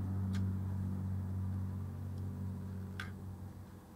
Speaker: And when I do rotate the LCD till it powers down, I can hear the hard disk clicking as I rotate the LCD.